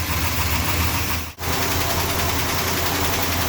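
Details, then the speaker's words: Freshly rebuilt Chrysler 440 V8 at idle after lifters removed, cleaned and refitted, just restarted: quick light ticking riding over the engine, now sounding like two lifters, suspected not yet pumped up with oil; hydraulic lifter tick. "still chattering away but now it sounds like this two rather than one so obviously I don't think they fill up yet"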